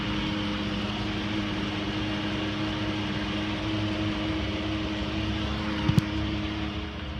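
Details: 2014 Ford F-150: steady mid-pitched whine over the running truck, not changing pitch; owner suspects the transmission, unconfirmed.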